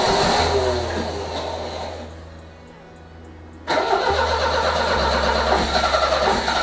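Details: 1978 MGB after a wiring harness replacement: steady cranking whir broken by sputters and pops, never catching; owner suspects the plug wires are backwards, likely cylinders three and four swapped in the firing order.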